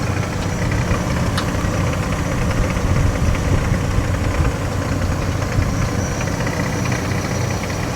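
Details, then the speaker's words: 1996 Ford F-150 (OBS) pickup, 144,000 miles, long-sitting family truck: rough low idle with a loose, uneven rattle under the hood; owner suspects the water pump, cause unconfirmed. "Yeah, a little rattling I hear. I think it sounds like a water pump."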